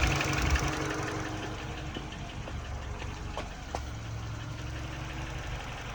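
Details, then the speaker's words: R56 Mini Cooper base, N12 engine, 160k miles, fully warmed up idle: uneven light knocking about four per second over the low engine note, louder when cold; owner attributes it to piston slap. "I will post a or I'll add a video in [Applause] of what it sounds like on a cold start and then what it sounds like at a hot idle"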